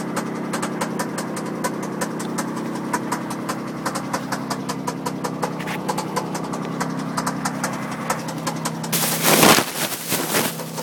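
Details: MG ZT petrol engine idling with a steady light tapping on the tickover, then a loud burst near the end; knocking of unknown cause.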